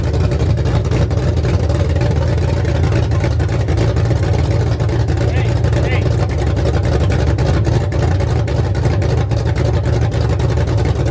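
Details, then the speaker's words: Ford F100 V8 first start after new aluminum head upgrade, 600 cfm Quick Fuel carburetor, open headers, no cooling system fitted: loud, deep, even rumble with no valve train ticking. "we just want to fire it up real quick there's no valve train noise everything sounded"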